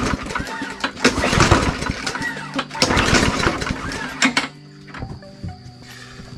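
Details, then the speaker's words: Walmart Hyper Tough push mower with good-looking fuel: several hard recoil pulls that never catch; starting fluid made it pop, confirming compression and spark, so the no-start is a fuel issue traced to the carburetor. "since it popped of like that It clearly indicates we got good compression and spark so we just have a fuel issue"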